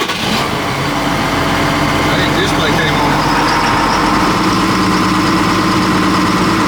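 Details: Sprayer engine cranked after fixing a pinhole leak in an overheated hose by swapping fittings; it turns over and settles into a steady, even run with hydraulics whirring, boom now raises and lowers; running normally.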